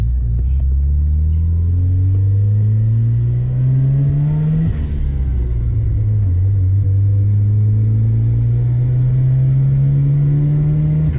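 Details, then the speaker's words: 1990 Mazda RX-7 FC turbo rotary on first drive after OMP delete; drone climbs smoothly through two pulls, short dip between, no stumble or hiss; now building boost, leak was OMP injectors missing vacuum lines. "successfully building boost now, which means those OMP oil injectors that didn't have the vacuum lines on were definitely our boost leak."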